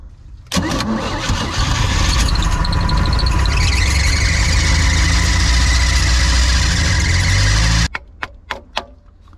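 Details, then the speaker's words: Neglected boat engine with Rochester carb, first start after starter fitted and cleaned points: cranks, catches and runs rough with a metallic rattle; later suspected a popped-out freeze plug dangling and catching the flywheel. "Remember that rattle noise we heard when we were starting the engine? That's the freeze plug was probably dangling around in the back getting uh caught up on the flywheel."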